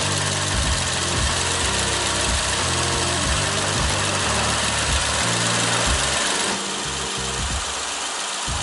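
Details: Toyota Celsior (30-series early) V8, 24 years old, about 178,000 km: uneven, lumpy idle with one cylinder dropping out, worst at idle pulling away from or stopping at lights and easing once driving; no error codes, owner suspects one failed ignition coil.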